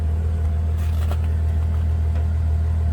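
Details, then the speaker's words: 550 hp twin-turbo 12-cylinder Bentley Continental GT air suspension pump raising the car from its lowered position: steady low electric hum and drone, running smoothly and normally. "Look at how low it sits when it drops. It literally touches the ground in some spots, which is why that happened. And the pump works. You can see it actually climbing right now."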